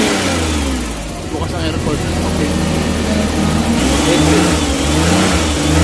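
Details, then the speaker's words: Suzuki Big Eye DA64/DA52W minivan, after an electrical repair for vibration and shut-off at idle with AC on: revs rise and fall cleanly with the aircon switched on, and the idle stays steady under the load; running healthy. "Tapos walang aircon. Ngayon mag-aircon tayo. Okay. So hindi nagbago pm natin."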